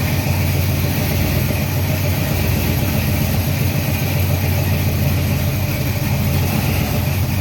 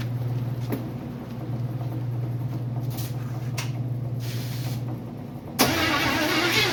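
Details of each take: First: Freshly built 350 Chevy small-block on first break-in run, oil pressure around 46 psi, timing not yet set; deep, even rumble with no knocks or ticks: normal fast idle. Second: Freshly built 350 Chevy first start attempt, fuel fed from a bottle; sluggish starter drone at roughly four labored turns a second without catching, battery flat: slow cranking from weak battery.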